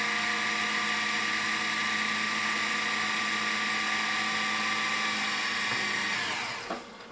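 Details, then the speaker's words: Sony SLV-N700 VHS VCR fast-rewinding a tape from near the end, covering about three-quarters in a few seconds: steady, very loud high-pitched whir, then spinning down near the end; normal fast rewind. "few seconds, it's already covered about three-quarters of the tape. So, as I said, it's a rebin capacity that it has. very, very loud, very fast"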